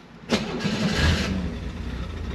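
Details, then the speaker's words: 1966 Chevrolet Corvair Monza convertible, rear engine, in neutral with handbrake on during inspection: brief crank, then catches quickly and settles into a steady, even idle without throttle, no stumbling; normal start. "alors sans action sur la accélérateur elle tourne super bien on entend le moteur donc d'abord on a un peu surpris d'entendre le moteur à l'arrière voilà il a l'air de bien ronfler"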